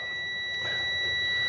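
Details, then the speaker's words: Cub Cadet RZT 42 zero-turn mower: steady piercing high-pitched warning buzzer sounding continuously from the seat/safety switch circuit, which owner plans to cut out. "I need to get rid of the beeping too and get rid of this switch"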